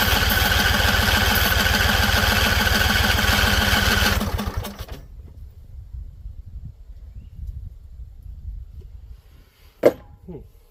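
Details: Husqvarna Z254 mower with an apparently swapped engine, plug gaps look wrong: after carb spray it chugs fast and even for about four seconds, then suddenly dies. Owner suspects flooding or poor tank venting; cause not confirmed.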